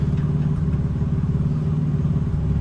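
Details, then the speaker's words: 1985 Nissan 300ZX long stored, idling with clutch let out: heavy regular low knock under exhaust that stops when clutch pedal pressed; worn throwout bearing, not rod or lifter. "Now I just let out on the clutch. You hear it knocking? That's throwout bearing. I'm gonna push the clutch in and it stops."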